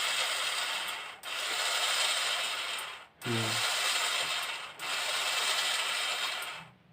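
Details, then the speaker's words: Agricultural battery sprayer pump motor, bearing removed and spun by hand near the camera: dry, gritty rasp in bursts with no smooth roll; worn bearing, being replaced and lubricated with oil. "यह देखिए हमारा जो bearing था और निकल चुकी है यह देखिए इसका बरी आवाज कर रहा है"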